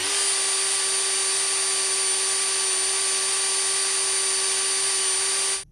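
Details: Dremel 4000 rotary tool after brush replacement, run-in at low speed for five to ten minutes: steady high-pitched whine at constant speed, even and smooth until switch-off. Motor running normally.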